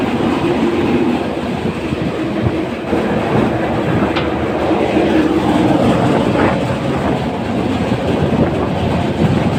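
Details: AHU air handler blower running with a loud, rough rhythmic clatter from the drive-end side: worn blower bearing, drive end.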